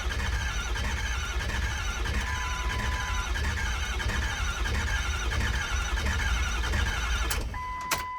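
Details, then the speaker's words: 6.0L Power Stroke diesel after swapping to an upgraded 6.7L Power Stroke starter: quick, strong, even cranking for about seven seconds without dragging; far faster than the old starter. "That is 5.5 million times better of starting, or I mean of cranking than what it was before. Which is good, so we know she cranks over fast as can be now, which is fantastic."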